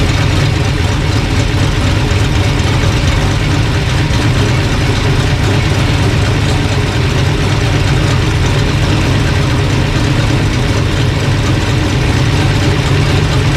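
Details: Old engine after sorting a bad distributor, timing being dialed in with timing light: deep, even idle with steady beat, no misfires or knocks; normal idle.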